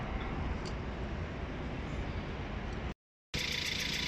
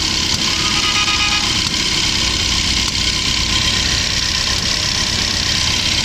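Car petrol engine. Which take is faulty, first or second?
second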